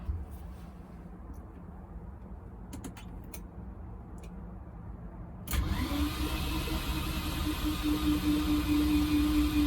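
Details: Long-forgotten Porsche 924 Turbo, column wiring unplugged except ignition, security system unhooked: the starter spins the engine with an even whirring rhythm and no catch. Healthy cranking, oil pressure about 5.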